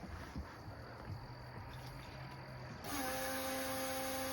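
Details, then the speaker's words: Mercruiser 5.0 MPI marine engine, first start with water on: at key-on a steady low electric whine holds level before cranking, the fuel pump priming as normal. "That sound you hear is the fuel pump priming."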